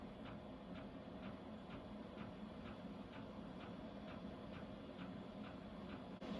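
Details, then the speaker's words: Vevor Chinese diesel heater starting up at heat setting 3 in a cold camper, drawing about 10 A: steady light ticks about two per second over a soft fan hum as the pump primes. Normal fuel pump ticking during startup. "Hear the clicking? It's priming."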